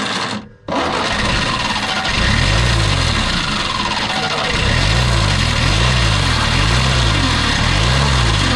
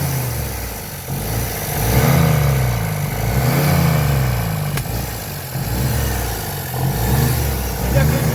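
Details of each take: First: 1957 Peugeot 403 U8 pickup, thought not run in 34 years: after a cranking dip the old engine fires and keeps running with a slightly lumpy, wavering beat; running again after long storage. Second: 1957 Peugeot 403 U8 pickup, thought unrun for 34 years, first start after several attempts: revs rise and fall smoothly about every second and a half, pulling cleanly with no misses or knocks; it runs.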